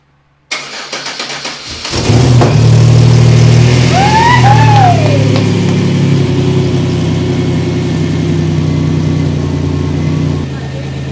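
About a second and a half of quick, even cranking, then it catches cleanly, revs up and settles into a steady idle.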